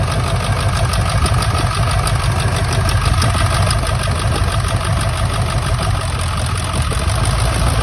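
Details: 1999 Ford F-350 7.3 Powerstroke diesel at idle, still running rough: heavy uneven lope and lumpy beat, one cylinder missing; injector misfire being troubleshot by unplugging injectors and checking oil flow, cause not confirmed.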